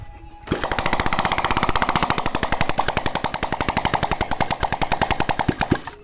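Crisp, evenly spaced single-cylinder beats, about eleven a second, holding steady with no knocks or misses. A healthy idle.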